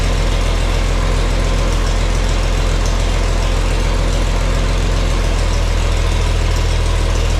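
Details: Farmall 460 tractor, rebuilt engine, after installing electronic ignition and rotating the distributor to set timing: deep, even idle with a smooth low thrum, no stumbles or popping; runs nicely, slightly less responsive on throttle.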